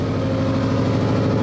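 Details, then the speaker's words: Subaru Legacy GT just lowered on BC BR coilovers: steady idle with a light, buzzy metallic rattle on the exhaust note from loose exhaust heat shields, which the owner still needs to fix. "uh you can hear the exhaust rattle too that I really need to fix it's just heat shields"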